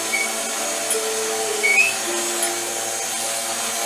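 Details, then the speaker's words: DeLaval 18 floor-model cream separator, hand-cranked fast enough: steady high whirring whine with even hiss, no rubbing or catching; no longer leaking, spinning freely at proper speed. "doing great we're not leaking anymore that's good cuz you're going fast enough"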